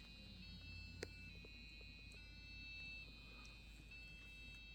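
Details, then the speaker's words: Custom Athlon 2600+ PC with MSI board, Windows XP: after a normal short POST beep, a steady two-pitch electronic warble switching about once a second over hiss during Windows boot; later thought to be an overheat failure. "Seems like a catastrophic failure of some kind. I've not run into this kind of sound before."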